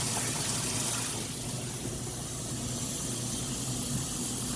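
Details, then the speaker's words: Maytag top-load washer filling while its matching electric dryer runs quietly nearby. Even rushing water with a soft gurgle, steady flow; the washer takes water in normally. "but on this washer as if you were standing here testing it out yourself so you can see that it works pulling the water in like it's supposed to"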